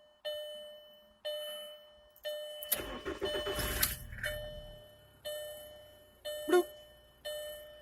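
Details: 2000 VW Jetta 2.0 four-cylinder after fixing stalling and no-start with P0231 code; evenly spaced key-in door chimes about once a second, then engine cranks, catches and settles; clean start with chime working again.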